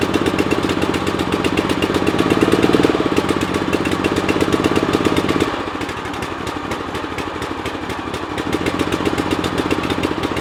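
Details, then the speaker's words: Hustler Sport 42 zero-turn mower engine run on full choke while hot: rapid, slightly uneven putter about four beats a second, hunting a little, with black smoke and no blue smoke; rich running, choke suspected stuck on. "No blue smoke. It looks like it's looks like black smoke. And I think that's just from the choke. And it sounds like the choke was stuck on."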